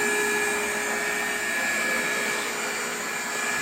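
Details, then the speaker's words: Completely rebuilt Kice waterfall aspirator on single-phase 110 V, with the butterfly valve gates open. The motor and fan give a steady, even hum with a constant high whine and no knocks or scraping; it runs healthy. "the footer is humming right along there are no irregular noises"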